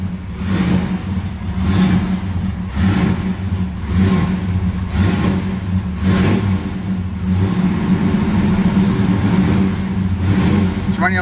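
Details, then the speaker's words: 1973 Camaro Z28 V8, cold just after a monthly start, choke removed so throttle held by foot. Uneven running, throttle surging about once a second, lumpy stumbling beat, not firing all cylinders yet. Rough running, misfire. "rough not quite firing all cylinders yet I removed the choke a few years ago so I got to warm it up with my foot got to keep the gas down"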